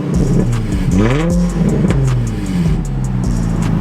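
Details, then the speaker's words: Infiniti G35 V6 with broken stock exhaust and exhaust leak, car sat for a long time: revs and settles with a loud, raspy, open exhaust note. "it's just a stock exhaust with an exhaust leak honestly but it sounds it sounds kind of good here i'll start it up for you guys"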